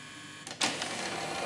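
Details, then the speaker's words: Pioneer CLD-1850 LaserDisc player tray opening after deck-lift repair: quiet, then a sharp clack and scratchy whirr as a plastic arm rubs against three small relay switches under the front of the machine; abnormal tray mechanism noise. "What's happening there is there's three little relay switches. Three little relay switches at the front of the machine, underneath here. And the little plastic arm that you just saw there is basically, it rubs against them."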